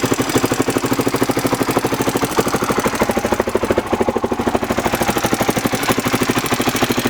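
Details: Honda XR600R single-cylinder motorcycle engine at idle: sharp, quick metallic tick riding on every firing beat.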